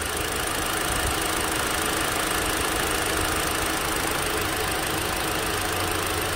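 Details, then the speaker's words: Hyundai Elantra SE petrol engine idling with an uneven, stumbling, shaking beat while one ignition coil wire is unplugged, steadying once reconnected; one-cylinder misfire at idle. "so that's the type of movements your engine gets when a car is missing from a bad ignition tile or a spark plug"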